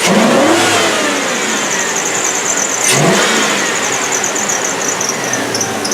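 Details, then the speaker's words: 2004 Chevrolet Avalanche V8, started after a cold air intake install: a sharp, high chirp repeats about twice a second while revving; the serpentine belt is still chirping, so it will be replaced. "so I heard that belt definitely still chirping so I'm gonna go ahead and change that belt"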